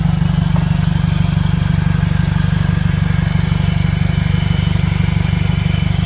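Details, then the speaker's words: 2015 Mercedes CLA 250 4Matic salvage rebuild idling with the exhaust removed; loud, raw, evenly pulsing blatty idle with no muffling, owner also suspects a vacuum leak. "the reason it sounds like this because it doesn't have the dump the exhaust it doesn't have the exhaust"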